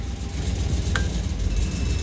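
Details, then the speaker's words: 2004 Chevy Colorado with cammed 5.3L LS and hidden turbo kit, first start: deep lumpy uneven idle running on only four cylinders because half the spark plugs weren't plugged in. "oh it's running on four cylinders oh my gosh I don't have half the spark plugs plugged in gosh dang it I'm an idiot"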